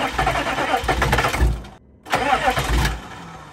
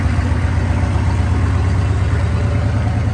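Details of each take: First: 2000 Chevrolet C3500 4x4 turbo 6.5 L diesel, sat for years, with WD-40 in intake: short bursts of steady cranking with pauses, never catches; no fuel from the fuel pump, crank no start with suspected lift pump failure. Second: 2000 Chevrolet C3500 4x4 turbocharged 6.5 L diesel at idle, good oil pressure: deep, even rumble, no knocks or misses; turbo spooling nicely, healthy running.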